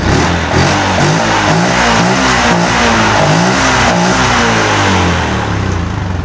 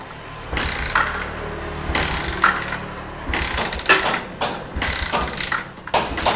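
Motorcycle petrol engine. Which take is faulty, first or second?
second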